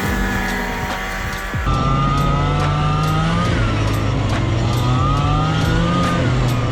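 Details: Arctic Cat Jag 440 snowmobile (about 1982), two-stroke on roughly 50:1 premix, revived after sitting for years, riding in snow; crisp buzz rising and falling cleanly with throttle, no misses or bogging; owner hopes it isn't too lean, little smoke; healthy.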